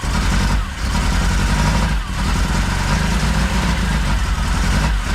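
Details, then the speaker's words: Saab Sonett after the engine was pulled and refitted and the distributor turned 180° to fix the timing. Heavy idle with an uneven lope and dips: misfire because not all spark plug wires were connected. Paint smoking on the engine. "no it's missing i only plug up plug all the plugs in"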